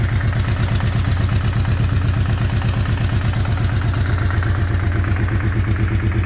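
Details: Weird engine sound at idle: loud, rhythmic low pulsing of about three beats a second with a clattery edge, cause unclear.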